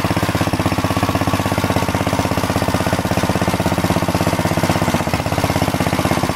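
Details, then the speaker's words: Planet Jr. Model B walk-behind tractor with air cleaner and elbow refitted, driving it up the hill: steady, even single-cylinder thump at constant speed, no misses or knocks. Governor works; normal running. "I got the engine to stay running and everything and that's all squared away I got the air cleaner back on there with the elbow and everything runs really nice now idles throttles up and everything good Governor Works nice"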